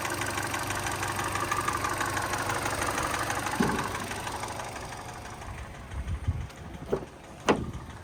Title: 2013 Hyundai Elantra w/ Piston Slap Engine Noise